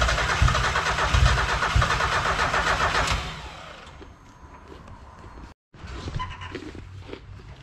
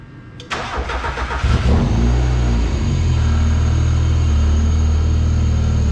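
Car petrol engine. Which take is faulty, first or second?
first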